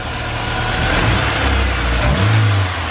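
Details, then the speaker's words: Honda S2000 after the loose alternator and parts were secured and the belt refitted, revved under the hood; a clean, even note with no rattle or clack from the belt drive; normal running. "Alright, belt's back on. Let's just confirm our noise has gone away."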